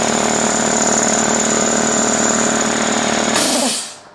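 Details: Workshop air compressor (the other one of his compressors), loud steady rattling chug with fast even pumping beat, then cuts off and winds down; healthy, just noisy.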